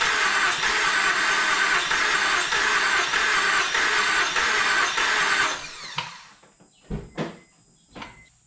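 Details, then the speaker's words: 2006 Honda Accord that broke down on the highway, cranked when fully cool: fast, light, even cranking that never catches, sounding low on compression; fuel and antifreeze smell, no spark; blown head gasket. "but what it felt like to me after many many years of hearing engines turn over sound like a compression problem didn't sound like it's getting a lot of compression"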